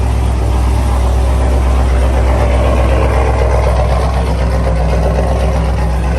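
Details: Chevrolet Camaro LS3 V8 after a stuck lifter (intake backfire, ticking) was fixed with a new cam and lifters, first start: deep, even idle pulsing about four times a second with no tick or clatter; normal.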